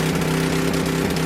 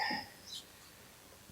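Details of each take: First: Coleman Powermate 6250 generator with Tecumseh 10hp engine, curb find, on full choke, no air filter: steady single-cylinder hum with slight unevenness, spitting back from carburetor, valves suspected; normal running. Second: Coleman Powermate 6250 generator with Tecumseh 10 hp engine, curb find, after fuel system and tank cleaning; starts at once on choke into a steady, busy single-cylinder drone, evening out at half choke; no clear fault noise.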